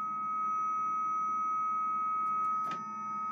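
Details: 300 baud dial-up modem communication heard after the speaker turns off. A clean, steady high carrier tone with one short click partway through; normal modem carrier tone.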